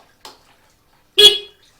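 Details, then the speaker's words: Suzuki GSX-R150 that won't start on the electric starter and sometimes shows "chec"; owner suspects the one-year-old battery is weak. One short, clear, full-strength honk; horn and brake light work. Normal horn. "klakson pun nyala ya klakson nyala lampu rem juga nyala"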